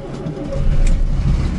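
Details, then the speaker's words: ZAZ 968M started after sitting idle; the lower rubber gasket had stuck to the spring in the heat and was reseated. The engine catches and settles into a steady, even low rumble with no knocks or misses, running normally. "также что ребята все запустилось все нормально теперь можно выезжать"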